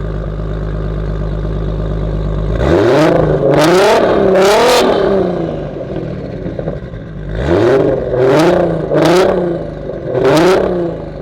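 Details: Audi RS3 with stock 3.2 VR6 and 79 mm turbo, low boost, base tune smoothed, camera in the back on a night road run: several sharp rev blips climb and fall cleanly with a raspy exhaust, no misfire or rattle; healthy.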